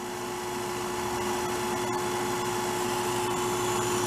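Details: Vintage Harmon pellet stove revived after long storage; steady whirring blower with constant mid-pitch tone, no knocks or rattles, running smoothly, blowing out 103°F air in a 55°F shop.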